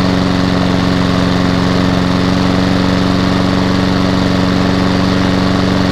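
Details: Hayter 48 mower with Honda engine from a job lot, first run with petrol in and no leaks: steady, even low hum at constant speed, no misses or knocks; engine normal, but drive not working, belt possibly off.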